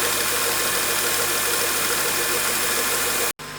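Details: 2003 Honda Accord K24 engine, idling right after the drive belt tensioner was replaced and the belt refitted: a steady, even idle hum with no squeal or chirp from the belt side. Runs normally.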